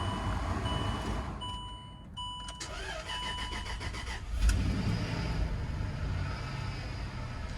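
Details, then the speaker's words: Land Rover being scan-tool tested, with a transfer case or gearbox fault suspected: starter turns briefly, engine catches cleanly and settles into a steady, even idle with no misses or knocks, no check engine light; normal cold start. "Starts right up. Also, no check engine light."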